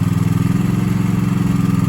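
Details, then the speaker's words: Single-cylinder Kohler mower engine idling: rapid, even ticking clatter over a low thump. Owner suspects valve slamming or pushrods, says many Kohlers do the same, and plans to run it until it blows. "It's nothing but hammering, valve slamming, push rods, whatever it is. They sound like that. They sound like they're gonna come apart."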